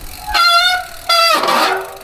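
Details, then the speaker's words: Newly acquired replacement bike on first trail ride: two loud horn-like honks, each about a second, steady musical pitch while braking; rider calls rear brake terrible and noise needing sorting; brake cable catches on pedal; disc brake howl. "It makes quite a, like, that's a terrible noise. That needs sorting, and yeah, that's so ugly."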